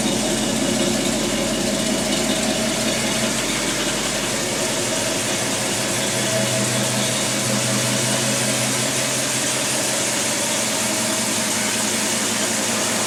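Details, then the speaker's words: 1964 Pontiac GTO V8: harsh metallic rattle that appears only in drive, starting 5-10 minutes into a drive, with no noise when revved out of gear; owner suspects transmission, torque converter or pump. "transmission making horrible sounds i can actually crawl up under there directly under the transmission and hear it rattling now"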